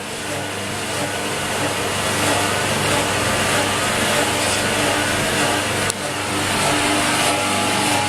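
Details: Workshop pump running in a quiet shop; steady even rushing hum, no knocks, surges or squeal; normal running.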